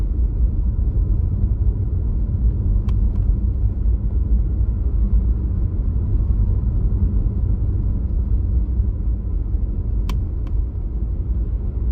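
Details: Tesla Model Y: two sharp double popping noises from the accelerator pedal area, near seconds 3 and 10, over a steady low cabin rumble.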